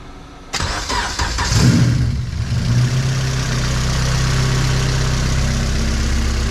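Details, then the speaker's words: Budget race Honda K24 on E85 with 1150cc injectors, fuel pressure 50, first start on old tune, exhaust only centre resonator and cat then straight piped; quick crank, catches cleanly, steady loud even idle; healthy. "there you go, it runs and idles exactly off the old tune."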